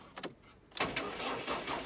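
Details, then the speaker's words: Ford Focus with cranking fault; with all four injectors disconnected, short burst of even cranking that catches and runs smoothly on a flattening battery. Injector interference suspected on crankshaft position sensor signal to PCM; ECU fault earlier suspected; not the fix. "getting flat she cranked away mad when the four injectors are disconnected"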